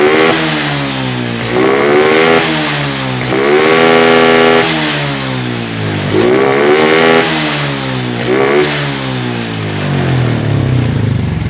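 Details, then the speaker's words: Honda Karisma motorcycle that used to die suddenly, after its ignition coil was replaced: it idles, then takes repeated throttle blips, revs rising and falling cleanly and returning to idle each time without stalling. Normal idle and revving. "Ya, ketika kita menginjak gas lalu melepaskannya, kemudian menginjak gas lagi, mesinnya tidak mati lagi, teman-teman."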